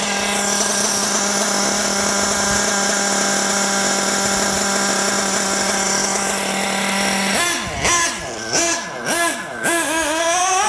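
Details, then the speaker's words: Nitro RC buggy glow engine on high-speed passes after richening the high-speed needle: the pitch sweeps smoothly with no prolonged pinging and lots of smoke; earlier leaner passes pinged from running hot. "all right much better I don't have the pinging for a prolonged period of time lots of smoke coming out"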